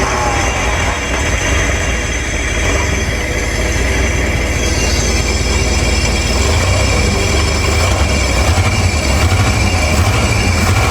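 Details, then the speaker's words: 1968 Ford Torino bought cheap with a seized-engine history, freshly revived: it runs raggedly with an uneven lope and irregular stumbles about once a second. Earlier only one side of the carburettor venturis was squirting fuel, then both. Rough running, cause not confirmed. "I'll take it. She might be running like a one-legged, deaf, blind, and dumb dog, but she's still running."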